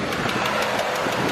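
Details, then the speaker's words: Dodge Ram 1500 idling after a mechanic visit: light, sharp, even ticking about six times a second, louder on one side of the block, better than before; possibly a noisy lifter, cause not confirmed. "this is what it sounds like definitely a lot better from the first time I heard it definitely period on this side"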